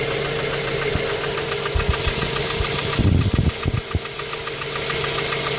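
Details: Mazda 3 petrol engine at idle, noise began after changing spark plugs, misses when stationary: sharp irregular knocks about three or four a second with a stumbling beat, like a misfire with knocking.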